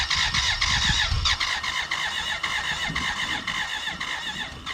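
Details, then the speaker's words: 1991 BMW K100 LT (987cc four-cylinder, fuel-injected) that sat outside 10 years: steady starter cranking with an uneven chuff, almost starting over an hour. Later a cylinder-one intake vacuum cap blew off with dirt, showing a sticking valve. "hey this is ben from the present we cranked on and off over the course of an hour it almost wanted to start"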